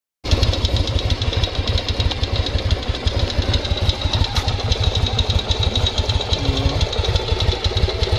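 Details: 1995 Yamaha Virago XV 750 V-twin idling with uneven loping beat and light dry tapping, seemingly from the front of the engine; owner asks if normal; phone held very close.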